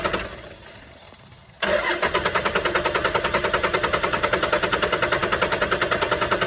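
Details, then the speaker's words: 1996 Dodge Ram 2500 12-valve Cummins diesel, sitting seven years; injector lines cracked for bleeding, starter cranks evenly about 200 compressions a minute with no firing. Fuel bone dry at injectors; clogged fuel line possible, bleeding at pump next. "it wants to start nothing yet nope it's bone dry yeah okay so we he just loosened up one a lot if this doesn't work it usually means we have a clogged fuel"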